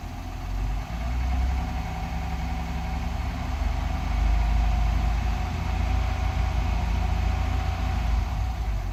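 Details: 2021 Honda Passport, brand-new engine knocking at idle and low rpm: loud idle with a loose, uneven knock about four per second over the rumble; cause not yet known.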